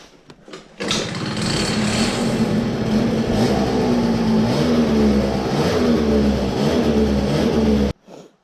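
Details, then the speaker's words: CPI two-stroke scooter, cold engine, stock variator, 6.2g rollers, white contra spring, 62 jet, stock pipe and airbox, after carburetor cleared of something: starts cleanly, steady even buzz with light throttle blips, running normally. "it works, like nothing had happened there was something in the carburetor"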